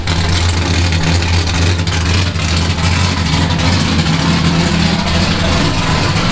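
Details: Nissan S15 with new exhaust just installed, idling and lightly blipped to hear the exhaust: deep, even rumble with smooth blips, no ticks or knocks; engine and exhaust sound healthy.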